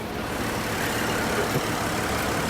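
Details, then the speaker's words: Cadillac CTS under 100,000 miles, started without a jump: quiet, steady idle with even hum, no knocks, misses or hunting; engine runs smoothly, normal idle. "Runs like a top, purrs like a kitten. Didn't even need a jump start."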